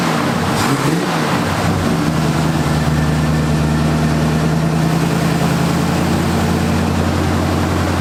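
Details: 1978 Ford Fairmont Futura budget build with GT40P head swap and Holley two-barrel: catches after a rough start, then settles into a steady, even idle with a low hum and no knocks; normal idle.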